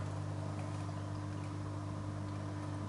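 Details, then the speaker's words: A JBL CristalProfi e1501 canister filter in the cabinet under a 180 L aquarium gives a steady low hum of constant pitch with a faint ripple and no knocks or rattles. The motor simply runs loud, and the owner asks whether other units are this noisy. "вот JBL у кого есть, подскажите, тоже шумит так?"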